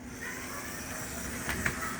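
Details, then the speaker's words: TYCO New Haven EMD E7 powered locomotive, after replacing three traction tires, test run on track: soft steady motor whir, faint track hiss, light clicks, no binding or stutter; runs fine. "Well, that sounds pretty good."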